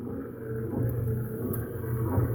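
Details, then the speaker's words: Hemi Duster wiper motor driving the newly installed wiper transmission: low even hum with gentle cyclic linkage swell, no grinding or clicking, running slightly faster, perhaps as it loosens; normal running. "Wiper motor sounds good, too."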